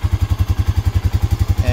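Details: Honda Rancher ATV at low idle after a battery replacement, with 12.64 V at the battery: a steady, even low thump at about ten per second, no knocks or misses. It sounds healthy and later charges at 14.46 V.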